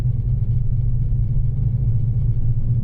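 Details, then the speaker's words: Volkswagen CC being flipped, driven slowly around the neighborhood: deep throbbing rumble and droning hum from cupped (choppy) unevenly worn tires, which were later replaced. "yeah that's the sound of tires but not normal tires or not tires ever heard of the term chopped tires well this is what it sounds like"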